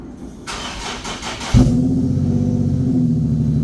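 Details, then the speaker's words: 2015 Nissan 370Z, Copart car after front-end collision and frame repair, cold start early morning in shop: about 1.5 seconds of cranking, then catches and settles into steady, even idle with no knocks or misses; healthy cold start. "all right so I'm going have to push it up a little bit can't get the door open all right let's hear that cold start"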